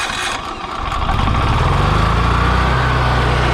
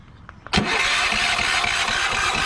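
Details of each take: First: Free Yamaha generator running on propane, on a near-70-degree day, after starting trouble suspected from the choke being closed and flooding: after a rough catch with the choke pushed in, it settles into a steady, even drone of constant pitch; normal running. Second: Yamaha generator on propane, remote start, about 70°F, several failed attempts; starter cranks at an even, steady rhythm but never catches; owner believes the closed choke flooded it with too much propane.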